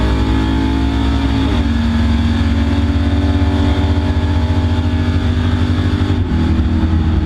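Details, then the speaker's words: V8 drag car at the track after new lifters, still cutting out around 6500–6800 rpm: high revs drop pitch abruptly twice; high-rpm cut out persists, cause unknown. "i used it to see if the if the car was going to cut out at the higher rpms like it's been doing and it did as you'll hear over and over in this video"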